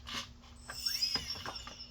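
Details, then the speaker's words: RC Hellcat plane on repair check, battery connected: quick servo buzzes, then a brief rising electric whine as the motor spins up; electrical system and drive sound healthy. "Uh-oh, the engine is spinning up, too."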